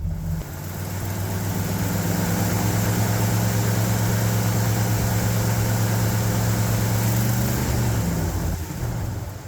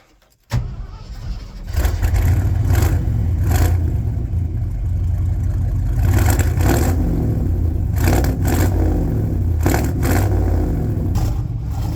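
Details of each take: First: 1972 Ford F750 "Super Pickup" V8 after distributor reset and tightened, 15° initial timing plus 15° mechanical (about 30° total): starts readily, steady even low rumble with no misses or knocks; normal idle. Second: 1972 Ford F750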